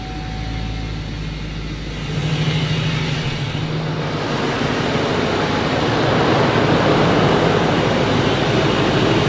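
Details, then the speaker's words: Duramax diesel on its first start after head gasket replacement, not yet warmed up: it catches and settles into a steady, even rumble with no misses, knocks or leaks; healthy idle. "doesn't look like we have any leaks yet we gotta let a warm up get everything burped through but uh sounds good sounds healthy"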